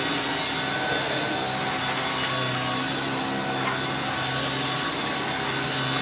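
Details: Electrolux 612E (600 series) upright vacuum with replacement Qualtex brushroll, on carpet at lowest setting: steady even whirr and brushing hiss, no knocking, rattling or grinding; brushroll turning smoothly, running normally.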